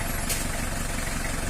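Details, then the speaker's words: 1990 model-year diesel (L300/Panther) after its final tune-up: even, steady idle clatter with a low, uniform knock rhythm and no hunting or jumps; normal diesel idle. "Nah, ini hasil penyetelan terakhirnya, teman-teman. Kalian bisa dengar hasilnya bagus , teman-teman."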